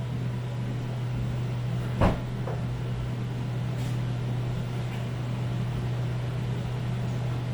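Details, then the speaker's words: Toyota Cressida 1UZ V8, first start with a new coil pack, running exactly the same; steady low idle with flat uneven beat, one bank not firing; new coil pack and igniter made no difference, all dead cylinders on one distributor cap and rotor. "interesting running the exact same all right it's a little bit of an update here wasn't the coil pack i didn't make a difference tried the igniter which is sitting over there didn't make a difference so it's all the cylinders on this cap and rotor"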